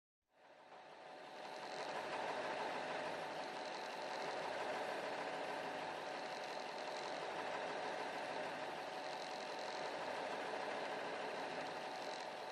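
Engine catches and settles into a thin, uneven idle that wavers at about four beats per second; rough idle.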